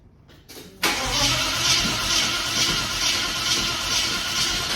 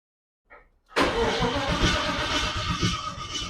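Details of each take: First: Holden VK Commodore Brock tribute 5.0 V8 after electrical wiring sorted: brief crank then loud, raspy open-pipe roar with throttle blips; it had flooded and lit up with foot to the floor, now running properly. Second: Holden VK Commodore Brock tribute 5.0 V8 cranks with a steady, even churn but never fires. There is no spark.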